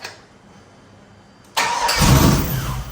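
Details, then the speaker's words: F100 body on Escalade chassis (budget chassis swap) first start, engine that had been throwing heavy oil and had a corroded aftermarket plug: cranks quietly, catches with a rough surge that swells about a second and fades, stalling; cause not determined. "Boy, it wants to go so freaking bad. It wants to."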